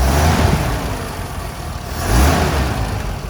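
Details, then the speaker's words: Unrestored 1969 Toyota FJ40 Land Cruiser, 28,967 miles, stone-cold start in neutral with no choke. Valve adjustment and exhaust leak previously fixed, carb jetted for ethanol. Deep, even rumble and a smooth rev blip with no ticking or exhaust puffing; it runs healthy. "This hums along. When I bought it, it had needed a valve adjustment, had the exhaust leak, and all that kind of stuff. So now she's just tight and smooth. Great running truck."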